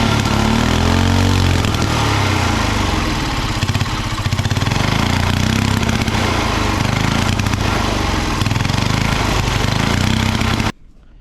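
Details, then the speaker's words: Original engine of a 1960s Trojan mini tractor, first run after about 40 years stored and an ultrasonically cleaned carburettor: runs unevenly, hunting and stumbling for about ten seconds before cutting out; carburettor setup still needs sorting. "have it running it's not running amazingly but we have it running"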